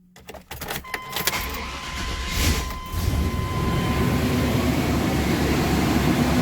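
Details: 1995 K1500 4x4 with 5.7 L TBI 350 small-block cranks, catches and settles into a rough idle with an uneven low knock under the engine rumble; the cause was a flexplate cracked all around the bolt pattern.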